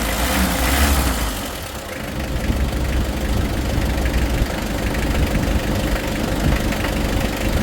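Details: Mitsubishi 4D56 diesel after overhaul, seats and cover refitted: strong, even diesel clatter with steady low rumble, no odd knocks or misses; sounds healthy.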